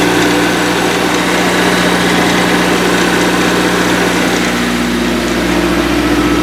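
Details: First start after a five-month winter build (fuel primed, clutch pushed in), with the steering turned lock to lock to bleed the power steering: steady, fairly even idle with a faint whine rising near the end, no knocks or misfires.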